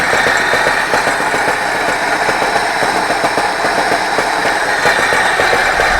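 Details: 24D engine at steady idle with sharp metallic tapping on top, about two or three knocks a second; knock inside engine, cause unknown.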